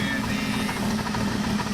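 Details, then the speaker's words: 1984 Dodge Ram D100 slant six, revived truck at idle; quick light tapping keeps time with idle, not felt on the engine, barely on the intake, felt at the manifold joint: exhaust manifold leak at a broken stud, not a rod. "and that tapping you can't feel on the engine you can barely feel it on the intake but you can feel it here wherever they comes together broken exhaust stud I knew about that exhaust is sitting there tapping that's actually what it is"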